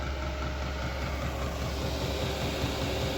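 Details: Chinese diesel heater drawing fuel from an upgraded 5-gallon tank with no air bubbles in the line; steady low hum with a soft, even pulse near a hundred a minute; burning smoothly, normal running.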